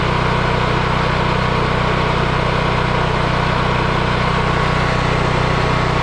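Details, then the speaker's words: Yamaha EF4000DE generator: steady, even drone at one constant speed with no misses, knocks or hunting; owner believes low oil had triggered the low-oil shutoff that kept it from running; normal running. "Wow. This is nice. This is really nice. The only thing really wrong with this is I do believe it was low on oil, and the low oil shutoff was keeping it from running."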